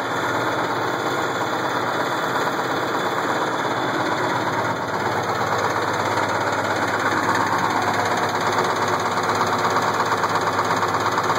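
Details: Case IH 1680 combine with 8.3L Cummins diesel idling: steady knock about twice a second that began slow and worsened; timing cover removal found a cracked cam gear with missing teeth.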